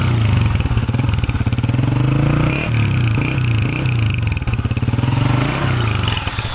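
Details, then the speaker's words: Honda CG125 after repair. A dangerous noise had suggested cam or rocker damage, but the fix was a 30-rupee support that was welded on. A steady single-cylinder thump with a slight rev lift and no tapping or clatter: the top end is clean. "بالکل گاڑی ہماری جو ہے وہ sound proof ہو گئی ہے, سن ہو گئی ہے, کوئی آواز نہیں ہے کسی قسم کی."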